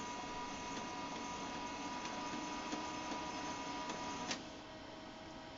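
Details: HP LaserJet 2100/2200DN with duplexer, at power-on: a thin steady high whistle over light mechanical ticking that cuts off abruptly; a dry laser scanner motor bearing squealing.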